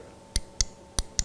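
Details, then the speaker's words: Vintage VW Beetle, new aftermarket pedal-mounted mechanical brake light switch replacing the laggy master-cylinder pressure switch: four crisp clicks as the switch is pressed and released; off when pedal rests on it, on the moment pedal is touched; switch working. "So when the brake pedal hits it like this, it's turned off, but the moment you touch the brake pedal, the switch comes on."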